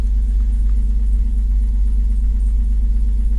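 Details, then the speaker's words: 2009 Pontiac Torrent, 191,500 km, cold start at about −3°C after sitting about 25–30 hours: steady cold idle with a dull, even low rumble and a faint light knock in the firing rhythm. Suspected piston slap. "there is a noise in this engine if you listen carefully [Music] bit of a piston slap it sounds like you can hear that piston knock"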